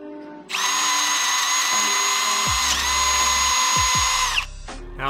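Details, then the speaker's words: Cordless drill boring a Jeep Wrangler YJ steering spindle for a 3/4" heim joint, with gear oil applied. Once the drill battery was braced against the frame the bit stabilized, giving an even, high ringing cut with much less chatter. "and now we're getting a lot less chatter if you can hear this a lot less chatter now that the drill bit stabilized"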